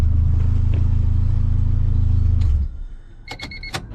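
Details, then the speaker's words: Honda CRX with swapped B20Z engine, first start, no cooling system fitted, idling just under 1000 rpm: low steady even idle for a few seconds, then engine shuts off; TPS not yet calibrated; normal idle. "I think I think that's it I mean sounds freaking awesome you guys hear it I'm"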